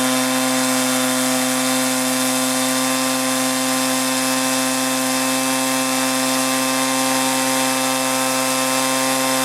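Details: 1983 Echo PB400E two-cycle blower, warmed up and throttled up: steady high-pitched scream, even at full throttle, no bogging or surging; normal running at high throttle.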